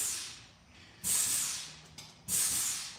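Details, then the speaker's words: Truck remote lube system during a grease job: short hissing spurts of air and grease about every second and a half, quiet between, sometimes coming out of the cross shaft. Normal purge from the remote lube line. "Oh, that's a big fart. I can hear it come out of the cross shaft sometimes."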